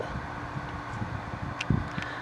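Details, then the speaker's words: 1995 Carrier VisionAire window A/C, 6050 BTU, cleaned, near end of long test run: compressor and rear fan have cycled off, leaving a soft steady fan hum and airflow rush from the indoor blower alone; normal. "it just shut off so now you can hear the difference of just the uh just the inside fan running which is what you're hearing now and the compressor and the uh the fan on the back is shut off"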